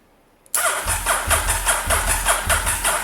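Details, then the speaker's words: Restored Honda SP1 cranked on the starter with the fuel tank removed, fresh oil and antifreeze just added, to circulate oil until the oil light goes out: a steady, uneven chug of about two beats per second with no firing. "i'm purposely doing this with no fuel tank on so that we have absolutely no chance of the bike starting"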